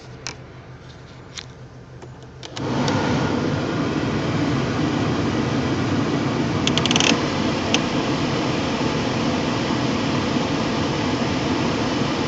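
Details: 1999 Ford Mustang V6 idling with AC on or power steering engaged: uneven, lumpy pulse and faint ticking over the drone, engine shaking; rough idle misfire under accessory load.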